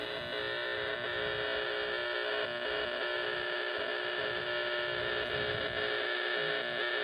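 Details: RFI heard on AM radio at a park: harsh steady rasping buzz, fixed pitch, no fading; direction-found to a power pole with a bad lightning arrester, noise gone after power company repair.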